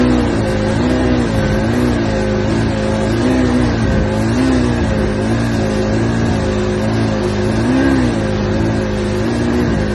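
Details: '85 Johnson engine revving with a steady drone whose pitch sags and recovers every couple of seconds; bog or misfire under throttle.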